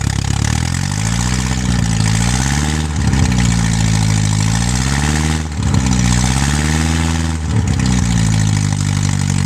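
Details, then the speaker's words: Avery Pinto General tractor engine: speed swings up and down every couple of seconds instead of holding steady; owner suspects ignition timing still slightly off. "kind of sounds like time and still off a little bit but I should have had it running"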